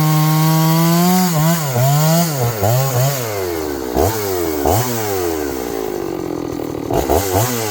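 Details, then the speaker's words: John Deere CS81 chainsaw that was leaking excess fuel, test cutting: repeatedly revs up and bogs as it bites into wood, pitch swinging but recovering cleanly; carburetor not bad, burning black off, needs more run time; normal running under load. "The carburetor ain't so bad. It's burning all that black off of it. The muffler's dried up. It needs to be run some in the system."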